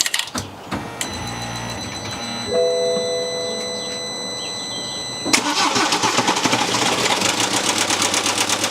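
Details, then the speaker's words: 2013 BMW F31 318d diesel, bought with a knock, started briefly with the crank pulley refitted but no oil seal: rough idle with a hard, uneven knock every few strokes, oil squirting out. Cause not yet confirmed. "right it runs but uh it's still definitely knocking"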